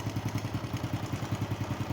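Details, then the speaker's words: Single-cylinder engine idling after topping up engine oil and warming up: steady, even idle thumping with no rattle; the noise quieted as oil reached the cam chain tensioner. "อย่างที่เติมน้ำมันเครื่องลงไปแล้วก็อุ่นเครื่องซักพักนึงนะครับจะทำให้เสียงเครื่องยนต์เงียบลงเพราะว่าน้ำมันวิ่งเข้าไปในชุดตัวดันโซ่ราวลิ้น"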